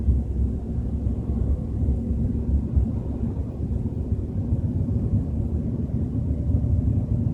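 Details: BMW 320i at 30–40 km/h: steady deep droning rumble under the drive, nothing sharp or rhythmic on top; source unknown.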